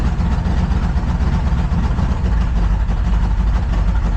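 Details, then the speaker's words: Truck during ignition misfire troubleshooting, idling with foot off the gas: lumpy, surging, stumbling idle with low vacuum. Owner suspects a misfire, possibly timing; cause not confirmed. "Something is off. Yeah, she ain't running right. Feels like it's misfiring somehow."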